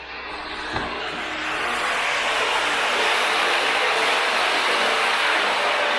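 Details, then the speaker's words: Water pump at a dam, pumping about 225 m up to a holding tank, running after replacement and problem fixed: steady, even rushing drone with a constant beat, no knocks or surges; pushing water normally. "This is the sound I want to hear. Finally. Success."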